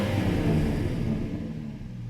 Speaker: here's a clip of what the exhaust currently sounds like with the holes in the Y